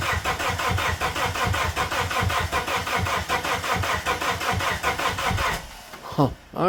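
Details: Plymouth Neon that sat at least 8 years: starter cranks the engine in a steady even chug, about a beat and a bit per second, but it never catches and runs; crank, no start.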